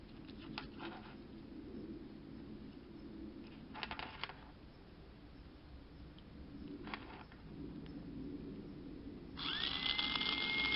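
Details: BMW X5 windshield washer pump motor, opened and run on a 12 V battery after WD-40 freed its rusted shaft: handling clicks, then a steady high whine spinning freely before winding down.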